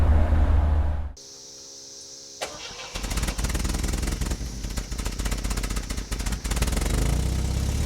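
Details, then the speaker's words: 1977 MGB roadster four-cylinder, barn find sat 31 years, gravity-fed temporary fuel tank to carburetor: short cranking, pause, then catches and settles into steady, slightly uneven idle; normal start. "i got the car running after a couple cranks i got it going"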